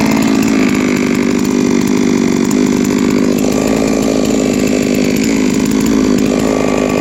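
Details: Three-year-old Huztl-based MS660/066 mill chainsaw, ported 56mm cylinder, after in-field clutch replacement: steady even high-revving buzz with no misses, surging or rattles; running healthy.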